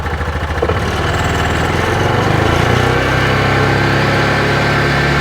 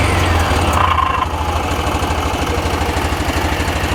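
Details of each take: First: 2021 Axis (Hisun) 500 4x4 UTV, about 225 miles, grinding on deceleration with clutch issues suspected: revved in neutral with no load, engine revs up, holds and eases back with an even drone, no grinding or scraping; normal unloaded rev. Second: 2021 Axis (Hisun) 500 4x4 UTV, about 225 miles, revved in neutral: low, uneven pulsing rumble about three beats a second; abnormal drivetrain noise, clutch or one-way bearing suspected, not confirmed.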